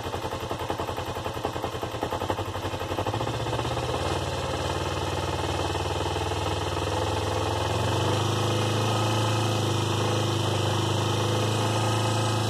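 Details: 2004 Kawasaki Ninja 250 at idle, set high: fast, regular light knocking, then the engine smooths out as it settles; owner asks whether the knock is bad or normal, cause unclear.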